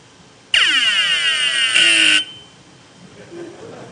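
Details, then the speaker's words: Hard drive on power-up: loud high electronic chirp sweeping down in pitch like a Star Trek phaser, then stops; head stuck to the platter so the spindle can't turn (stiction). "nobody's heard that yeah so normally what this would mean is is that I've got a head stuck to the platter where I got a spindle that doesn't turn so the head's not be able cannot read anything so they'll make noises like this"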